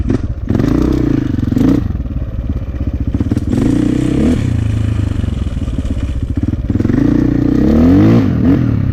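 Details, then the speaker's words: 2004 KTM 450 EXC with Keihin carb, sat 6 years. An uneven burbling thump hesitates as the throttle opens off idle before picking up, a rich stumble; fuel screw suspected too rich. "Yeah, I don't like that kind of blubbering. All right, it sounds like a rich blubber right off idle when you roll on."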